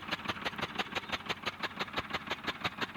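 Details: Diesel tractor: loud uneven lumpy knock about three a second, running on some cylinders; a jammed nozzle is suspected, to be tested at a diesel pump shop; misfire.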